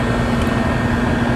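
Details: Trane XR13 AC condenser back running after compressor failed to start (found very hot, thermal overload suspected): even, steady compressor hum with fan rush, no clicking, buzzing or cycling; running normally.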